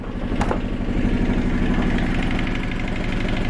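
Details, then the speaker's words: 1978 Yanmar YSB8 marine diesel, first run after 10+ years in a flooded sailboat: slow even thump about a hundred beats a minute at lowest idle; healthy running. "Is that low? That's about the lowest idle I think it'll do."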